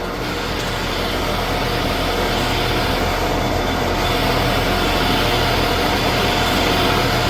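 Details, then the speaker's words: 1979 Shopsmith Mark 5 after quill replacement: even, steady running hum with no knock, grind or whine; the whole machine is much quieter than before, when the old quill was noisy and wobbled. "right that's a lot better come out yeah I I not only is the whole machine much quieter that looks much better"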